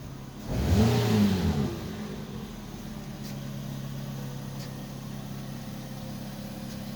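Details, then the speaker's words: Toyota Vios petrol engine just revived after 3 months sitting and lost compression, oil added to cylinders, still smoking until warm: sharp rev blip then steady even idle, no misses; normal revving and idle. "mawala na yung usok niya kasi umandar na siya e So yun lang Basic lang naging sira nito 3 months siya na hindi napaandar e"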